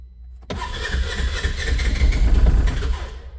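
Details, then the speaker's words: 2015 Polaris Ranger 900 with a new engine replacing a low-compression one at about 25,000 miles; first start after priming the fuel pump, short cranking then catches into a steady, even idle around 1300 rpm. "sometimes the first time they start they take a couple cranks just to get the air out of the"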